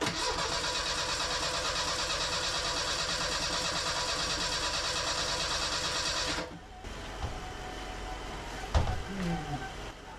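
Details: Merkur XR4Ti after an engine swap, first start attempt with a new fuel filter. The starter churns evenly for about six seconds with a weak cough, then stops, never firing. Bad gas in the tank and ignition timing, with no timing light available, are the suspected causes.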